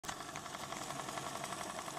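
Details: ADDA computer case fan with bad bearings, running better than before: fast, even rattling buzz over a high airy whir that never settles, worn fan bearing.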